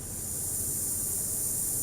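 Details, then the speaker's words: Car audio preamp with main volume off and treble turned fully up: steady even hiss like light rain from the tweeter, from the preamp's own noise floor; fixable. "เหมือนเสียงฝนตกเลยอ่าอย่างเงี้ยซ่านะฮะแก้ได้นะครับ"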